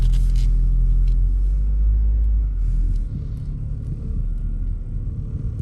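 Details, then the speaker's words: Lexus GS300 (1998–2005 generation) making a steady low droning rumble while coasting with no throttle or braking, no knock or whine on top; owner suspects worn front wheel bearings, unconfirmed. "See, I no accelerating, no braking. I think the bearings are gone in this car."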